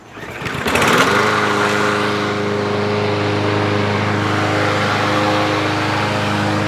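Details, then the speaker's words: 2023 Craftsman M110 lawn mower that died while cutting and wouldn't start, after carb jet cleaning: pull-start catches quickly, smooth steady drone with even firing; fixed. "you know that's the sound of right that is the sound of sweet sweet victory and victory is what we like here"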